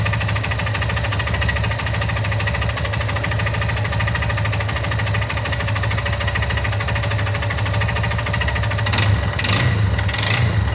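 Single-cylinder idling steadily with a busy mechanical clatter over the beat, more rattle near the end; something's noisy, cause not obvious.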